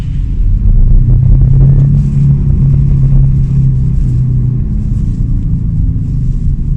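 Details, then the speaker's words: Honda Civic FD cruising on the road: steady low drone under road rumble, a constant hum that follows road speed; the bearing is noticeably loud, a worn rear wheel hub bearing to be replaced. "Napansin naman natin dito sa clip na ito ay medyo maugong yung bearing."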